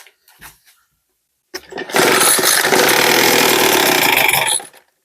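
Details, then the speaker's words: Mother-in-law's two-stroke leaf blower, primed 10 times, full choke and full throttle. After a couple of rope pulls it catches with a high buzz for a few seconds then cuts out, as expected; normal start, nothing was wrong. "Set the full choke. Set throttle to full. Okay. Pull the starter rope until the engine attempts to start max four"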